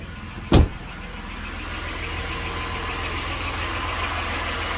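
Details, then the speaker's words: 1993 Dodge Grand Caravan LE, about 166,357 miles, idling after a new water pump, idler, tensioner and belt plus fresh oil, transmission fluid and coolant; even, quiet idle with no growling pulley, so the noise is fixed. "I don't hear no growley pulley that's for sure yep sounds nice and quiet that was our main problem"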